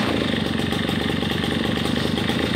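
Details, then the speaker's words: RedMax EB7001 two-stroke leaf blower after rebuild of seized engine with new piston, cold start taking a couple extra pulls; fast crisp even putter holding steady idle, no stumbles or misses, normal idle. "well there you have it we have a good fully functioning blower motor and it was a cold start that's why I ended up taking about two more cranks but other than that sounds nice perfect it idles great"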